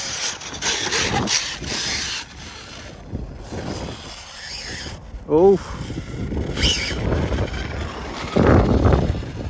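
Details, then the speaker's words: ARRMA Mojave EXB after a run at a construction site: rough, crunchy grinding and rubbing bursts come and go with the motor and grow harsher, while the bearing seems okay; drivetrain grinding, and the truck then stops driving. "Sounds a bit crunchy. Sounds a bit crunchy. Could be anything. Yep. Bearing seem okay. Certainly doesn't sound good."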